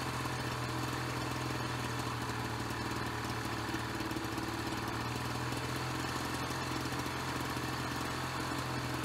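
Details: Ryobi BP42 backpack leaf blower two-stroke, 4 years old, after repairing no-spark, replacing and tuning the carburetor, and redoing the fuel lines: steady, buzzy, even speed with no stumbles or surging; normal running.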